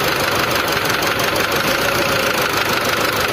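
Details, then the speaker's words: Old Mitsubishi Triton diesel with white smoke, rough running and no power: harsh uneven clatter at idle with sharp "tang tang" knocking; injectors checked one by one, cracked/leaking injector suspected versus combustion chamber. "Oke kita cek injektornya dulu yang bikin Asep Putih suara tang tang tang tang itu injektornya kah atau ruang bakarnya kah"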